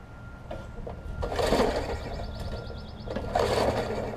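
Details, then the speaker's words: Long-dormant Murray 20-inch 3.75 hp push mower: two starter-cord pulls give a free, easy whirr with no compression chuff. Owner suspected a blown connecting rod or a seized-open valve; the intake valve was found stuck open. "i have no compression so it's one or two things if the connecting rod is blown or one of the valves is seized open if it's a valve that's easy"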